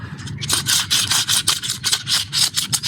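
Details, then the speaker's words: Ford Ecosport old front strut top mount bearing, removed during front absorber replacement, dusty from bump stopper, turned by hand: rough, sandy scraping in uneven bursts, not smooth, feels like sand inside; worn bearing. "can hear some sound from it. It's not as smooth. You can feel like there's like sand inside."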